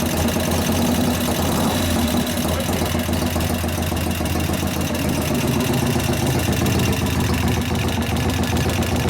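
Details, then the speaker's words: 1988 Harley FXR V-twin, hot engine at idle: fast light ticking over the loping idle. The lifters are louder hot as valve lash grows, and 50-weight oil didn't stop it. Lifter noise was addressed with pushrod adjustment and a cam change. "all right well the lifters are louder because the motor's hot is the motor hot now yeah guess what happened when it gets hot it grows get more valve lash"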